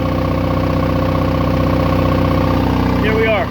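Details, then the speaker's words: Onan 12.0 DJB-MS generator, two-cylinder diesel, at operating temperature during a load test: steady, even two-cylinder beat holding speed under load, no knocks or misses, no more smoke; normal running under load. "but the thing's running good. Okay, once again, no more smoke. Everything's running good."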